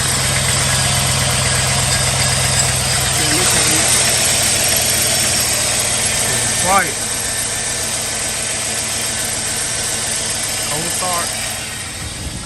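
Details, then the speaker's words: 2007 Chevy Suburban 6.0 LS V8, cold start after flywheel/flexplate replacement, checking for leaks before covers go on: steady idle with even low rumble and smooth high whir, no knocking or clunking at the back; broken exhaust manifold bolts cause a leak. "want to check for leaks should be super quiet"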